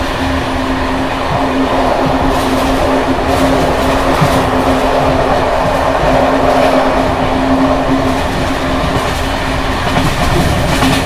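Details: Bd264 481 coach (built 1979), Görlitz V bogies with many kilometres since their last major maintenance, evening express on rough line 190 near Hluboká nad Vltavou–Číčenice, heard from compartment or open window: loud steady rolling roar with uneven clatter over rail joints from bouncing worn brake rigging.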